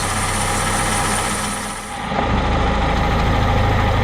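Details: Vauxhall Corsa C just after crankshaft oil seal replacement and auxiliary belt refit: brief settling then steady, even idle with a smooth low thrum, no ticks or knocks; healthy.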